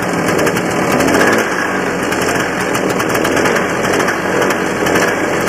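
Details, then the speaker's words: Barn-find 1984 Honda Odyssey two-stroke, cold start with gas mix poured in the rebuilt carburetor: fast, steady buzzing idle with an even crackle, no misses or surging, and it winds up readily on throttle; owner wonders if it runs lean. "to me it sounds like it's running pretty good especially when you get a little bit of fuel it seems to wind right up and want to take right off"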